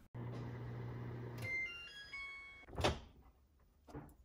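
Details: Whirlpool over-the-range convection microwave after magnetron replacement for not heating, water test: steady low hum for a second or so, then door clunks; runs evenly with no buzzing, normal.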